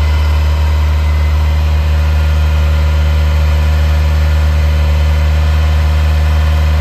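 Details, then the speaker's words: 1980 Ferrari 308 GTSi, recommissioned, warming after cold start; raised steady idle briefly climbing to mid-upper teens then settling, smooth even rumble with no knocks; normal fast idle during warm-up. "So while I was talking, I don't know if you heard, but she got herself up into a little bit of a high idle. She got into the mid to upper teens and then kind of came back again."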